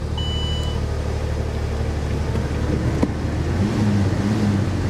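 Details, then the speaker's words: C4 Corvette at a salvage yard, jump-started, possibly long sitting: the idle is lumpy and uneven, with the low thrum stumbling about three times a second. A cylinder is misfiring badly at idle. "Yeah, she's misfiring pretty bad, guys."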